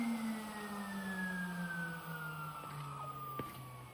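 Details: 1992 Panasonic Jet-Flo MC-9530 canister vacuum at switch-off: the motor's whine falls away with a dry, rough edge as it coasts down, pointing to worn, dry motor bearings needing replacement or new grease.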